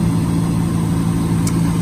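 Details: 2003 Chevy Silverado 1500 with a no-crank, no-start fault, started with a wire jumped to positive: a steady, even low rumble with no misses or knocks. Possible faulty wiring or neutral safety switch. Smooth normal idle.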